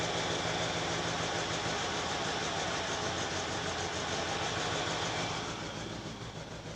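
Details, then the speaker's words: Lada VAZ-2106 carburettor engine running on petrol, recorded from inside with the window open: uneven, stumbling idle that gets worse with choke pulled; owner suspects float chamber overfilling from debris under the float needle seat after long LPG use. "подсос вытягиваю, машина начинает еще хуже работать. Так что я думаю, что просто переливает поплавковая камера."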